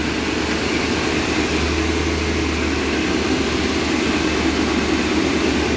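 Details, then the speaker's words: 2002 Ford E-250 Econoline van engine, first start after reassembly and coolant flush, in park: steady even idle with smooth low hum, no knocks, misses or ticks; normal idle. "Oh yeah. Bubbles. Oh man, she sounds good."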